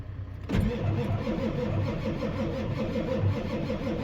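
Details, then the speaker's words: Ford 7.3 Powerstroke diesel after KC300X turbo and oil cooler install, restart after 20-minute jump charge: catches in half a second and settles into a steady, even, lumpy idle; air in fuel line from crossover line work. "Come on. She lives. I did that crossover line, so there's air in the line."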